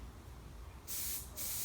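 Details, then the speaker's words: Nitrogen tank regulator set to 100 psi working pressure, Schrader valve core pressed with a fingernail: quiet background then two sharp, steady hissing bursts of escaping gas; normal release at regulator pressure. "can hear the pressure come out when I push it with my fingernail"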